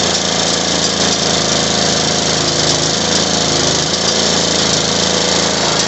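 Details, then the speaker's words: Small mower engine running after its bad Tecumseh carburetor was replaced with a new one; it holds a steady, even buzzing run with no surging, misses or hunting and sounds healthy after the repair. "Release the pressure. Go back into there. And the 60 runs."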